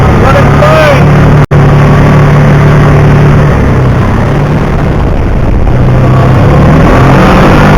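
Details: 2009 Kawasaki Teryx 750 fuel-injected, after fix for warm backfiring and power loss (nail inserted in center section): strong steady engine drone at even pitch, no popping or stumbling, pulling normally — runs perfect.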